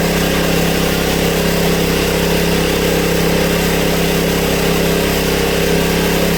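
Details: Honda EB1400X generator that previously wouldn't put out power, now making power: engine holds a steady, even drone at constant speed without hunting or surging, 112 volts at about 60–65 hertz; running healthy under its governor.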